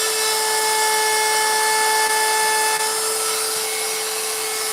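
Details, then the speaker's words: Router cutting a carved wood sign with a profile bit: steady high whine that holds pitch under load, cutting cleanly with no bogging or chatter; normal cut, though slower than a 90-degree bit. "The profile bit cuts great, but it doesn't cut like the 90 does, because there's more flute, there's more cutting edge there, and the 90 just flies through this stuff."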